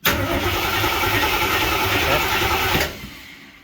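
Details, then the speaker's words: AMC 360 5.9L V8 swap in 1976 AMC Gremlin, first start with strong spark and gas poured down carburetor: catches at once, runs rough under three seconds, then fades out, firing only on poured fuel. Engine start on poured fuel. "Alright guys, just poured a bunch of gas down there. Let's see if this thing will pop off at least."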